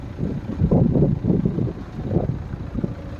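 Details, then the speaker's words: BMW N47 diesel in a Mini, first run after rebuild with new oil pump and chain following two years stored, one injector seal missing: soft, even low diesel rumble with no knocking or rattling, remarkably quiet. Normal idle; it later passed its MOT. "I mean, like, that's stupidly quiet for a diesel."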